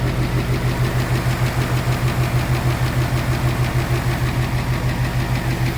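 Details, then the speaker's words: 2018 Mustang GT Coyote V8 with custom cold air intake, plug reconnected: sharp regular ticking about three per second over steady idle; intake manifold runner control flap clapping, not engine knock; car also has warm-up typewriter tick. "hat so thank goodness see i plugged that back in and here comes that clap again that tapping"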